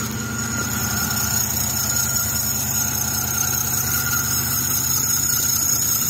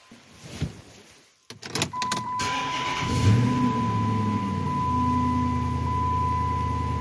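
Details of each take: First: 2006 Chrysler 300 on cold start: steady high-pitched serpentine belt squeal over smooth idle, owner says it fades after 20-30 seconds warm; alternator pulley rusty, but mechanic suspects idler pulley or tensioner bearing, not confirmed. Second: 2006 Chrysler 300 idling right after a new serpentine belt was installed, for a loud squeal on cold startups: it settles to a steady even idle with no chirp or squeal, and the belt tracks correctly. A cold-start check is still pending.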